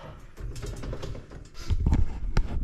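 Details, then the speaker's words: Raised off the ground in neutral, driveline turned by hand: light metallic tinks and small irregular catches; owner suspects dry U-joints, which look dry, and plans to clean and grease them. "Anyways, it sounds like there's just this little bit of catch in here, making it like a little tin tink tink. I don't know. It's hard to explain, but from my understanding, it might be caused from a dry U-joint, and these U-joints look pretty dry."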